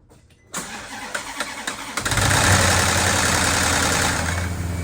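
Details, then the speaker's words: Maserati GranTurismo wet-sump V8 (2007–2009, some early 2010), cold start: cranks, fires and flares to fast idle with a rattly, clattering edge from the camshaft variator, attributed to oil feed loss at the variator end-caps; both banks rattle when cold. "what happens with these is there's a oil feed oil will be lost as far"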